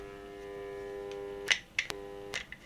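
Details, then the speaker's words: TEFAL coffee grinder powered on: steady low electrical hum or buzz with no blade spin-up; the motor hums but does not turn, shaft seized. "Uh, it's not working. Um, it's just making a a humming noise um when you power it."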